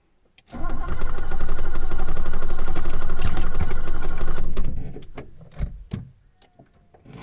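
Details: 1980s car that sat about a year after running out of gas: starter spins briskly and evenly for about four seconds without firing, locks cycling on each attempt; owner suspects no fuel; cranks but won't start.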